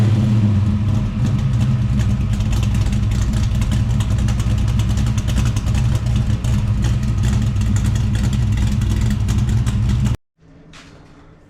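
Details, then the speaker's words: Holden HT Monaro V8 after replacing faulty MSD ignition module: deep even burble holding steady with no misses, stumbles or knocks; running clean and healthy, sounds mint. "I must say I'm very pleased with that that sounds mint me too"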